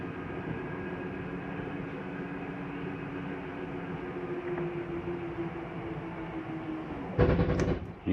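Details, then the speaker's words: Jayco Eagle 340DROK RV, bedroom slide-out (slide three) retracting: steady motor drone for about seven seconds, then a short burst of clunks as it hits its stop; normal end-of-travel clunk, not grinding. "you'll hear a little clunking noise at the end that's okay to hear it's nothing grinding that's just the slide mechanism telling itself not to come in any further"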